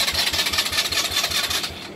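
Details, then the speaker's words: 2018 Polaris Phoenix 200 ATV that kept stalling, after sitting nine hours. Quick even cranking, about six beats a second, never catches. The dealer found the cause was a wrong carburetor needle clip setting, not the starter. "here's a video after I loaded it up and and shook it around a little bit they want to sounds like it wants to start just keeps on stalling out"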